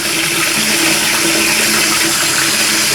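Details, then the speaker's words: Toilet cistern float valve after replacing the diaphragm washer, water turned back on: steady hiss of the cistern refilling with no humming, whistling or hammering, normal quiet refill. "So now if we turn the water back on, so the isolated valve's here. There you go. No hammering, humming noise at all from there."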